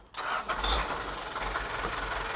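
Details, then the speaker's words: Diesel auction vehicle with a hydraulic dump bed and a low odometer reading of 37: short crank, then it catches and settles into an even idle with no knocks or misses; the engine is very smooth and no check-engine light is on. "Kalau kondisi mesin masih mantap, masih sangat mantap, sangat halus, masih sangat baik."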